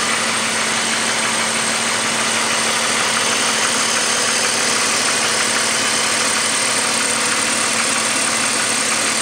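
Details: BMW 5 Series with M54 petrol six idling: a faint, fairly regular knock about three times a second under a hissy running sound; engine knocking at idle.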